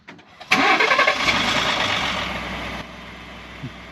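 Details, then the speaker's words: 2018 Ford F150 3.5 EcoBoost 4x4, remote-started with hood closed: engine catches then a fast tinny metallic rattle for a couple of seconds, every start warm or cold, no warning lights; owner suspects turbo wastegate or transmission, unconfirmed. "yes you can hear that little rattle and so it does it pretty much every time i start it whether it's warm whether it's cold and it's just like kind of a metallic rattle"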